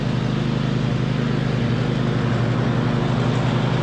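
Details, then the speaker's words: 2007 MTD/White Outdoors 54-inch zero-turn mower, twin-cylinder, after repairs with charging fixed: steady, even low drone with smooth firing beat holding speed while cutting, healthy and well tuned; normal running under load. "all right well this thing is smooth as butter honestly everything works really nice on on here the controls work the steering is super smooth"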